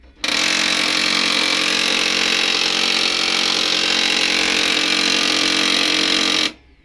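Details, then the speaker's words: HP M1005 printer making a harsh, steady grinding roar from switch-on, cutting off after six seconds; paper pickup roller jammed by a broken plastic piece stuck beneath it. "ये देखिए यहाँ पे ये जो paper picker roller है यहाँ पे जाम है, फंसा हुआ है।"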